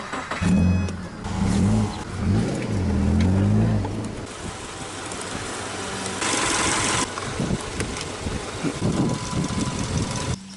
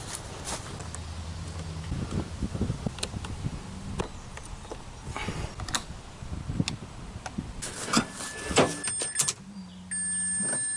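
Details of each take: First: Water-flooded 2004 Mazda RX-8 6-port manual on jumper cables: sluggish, uneven cranking that never fires; slow crank and no start, with a weak battery or bad starter suspected. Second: Flood-damaged (water) 2004 Mazda RX-8 6-port manual, immobilizer fault, after electrical work: after some clicks and tool clatter, a steady low electric hum for about a second as the fuel pump primes at key-on.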